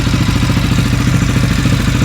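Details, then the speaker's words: CFMOTO 400 ATV single, first start after rebuilding a blown-up engine, with a coolant leak: fast, steady idle with an even clatter; owner thinks idle is a little high, adjustable by a set screw with a jam nut. "Hey, man. Idle's a little high, I think, but maybe idle."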